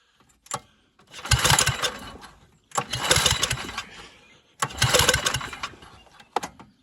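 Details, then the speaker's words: Old John Deere 65 lawn tractor abandoned 25 years, swapped Tecumseh engine, primed with starter fluid, carburetor screw adjusted: three bursts, each catching and running ragged a second or two before dying; owner suspects fuel not getting up. "just runs and dies still wonder if we thread it out more I don't think it's getting fuel up to the top"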